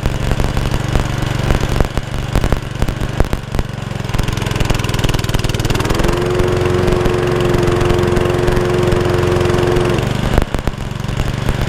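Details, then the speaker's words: Honda Lawn Flite 553 HWS lawnmower after the tiny carburettor jet atop the tube was cleared: holds a steady, even beat with no surging or hunting; normal running after the repair. "yep she's fixed so as you saw I had no faithfulness off a time I had a feeling it wasn't going to happen but I think I know what the problem was and it was purely just for a little tiny jet that sits on top of a tube"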